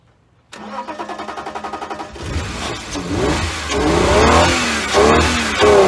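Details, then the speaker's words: 1999 BMW 328i with about 10 gallons of fresh fuel added, cranks, then fires and revs unevenly only on starting fluid sprayed into the intake; pump sounds like it runs, owner suspects bad fuel or no fuel reaching the engine from the tank. "put a little fuel or a little starting fluid in the intake and it does fire so it's i don't think it's getting fuel to from the tank to the front"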